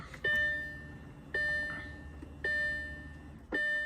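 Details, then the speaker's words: B7 Audi A4 2.0T EA113 after LPFP gasket replacement, battery reconnected, key at ignition without starting: high clear warning chime repeating about once a second, four times, over the low pressure fuel pump priming. "But what we are gonna do is hope this thing stops fucking beeping."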